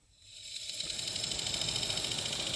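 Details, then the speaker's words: 2013 Toyota Highlander 2WD, 117,000 miles, heater/AC blower motor run removed from the dash: rising airy hiss with fast steady ticking; blower motor failing and must be replaced. "look at it we are back to that annoying clicking sound so we know this unit is failing and if you want to get rid of that annoying sound it has to be completely replaced"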